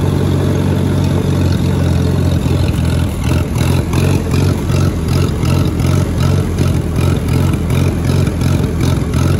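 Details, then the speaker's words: Allis-Chalmers WD-45 tractor going slightly uphill in third gear, bogged and worked harder: engine note turns choppy and surging about three times a second, sputtering under load. "you notice how it's only doing it when i go up a slightly uphill in third gear because i'm kind of bogging it and working it a little bit more"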